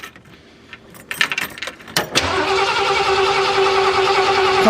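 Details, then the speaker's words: Camper after exhaust manifold job, sat for months, on 12 V jump start without starting fluid: steady cranking with irregular chuffs that never catch, fuel smell present; won't start, cause unconfirmed. "come on come on fire girl so close she's trying"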